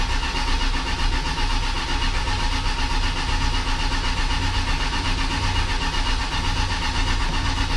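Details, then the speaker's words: 1979 Lil Red Express truck, first crank after six months of winter storage since November, 15-year-old Interstate battery, about 55°F and chilly: steady labored cranking at about two turns a second without catching; starter turning slowly. "it's a little chilly today it's about 55 degrees not too bad but i can does uh seem a little bit slow"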